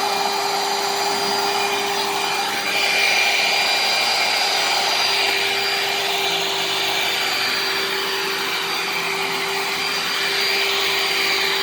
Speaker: it's also not too loud for a dirt devil i mean don't get me wrong it's loud but it's not for a dirt devil it's not too loud